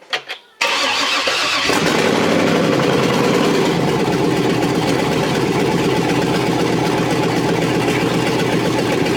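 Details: Chevrolet TrailBlazer SS 6.0 LS2 V8, first start after rebuild (new crank, main, rod and cam bearings, Trick Flow cam, gaskets, seals), manifolds not yet connected to exhaust; brief crank, catches at once, loud raw steady idle, no knocks or misfires; normal.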